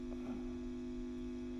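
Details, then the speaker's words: WEM Westminster MK9 10 W push-pull valve guitar amp (ECL82 outputs, Fane 12-inch speaker) on the bench during restoration: a steady low mains-type buzz, suspected to come from the noisy on/off switch built into the pot. "so the noise we can hear that the which is the buzzing I think is this switch here and it's a common problem with these onoff switches that are incorporated into the pots they tend to be very noisy"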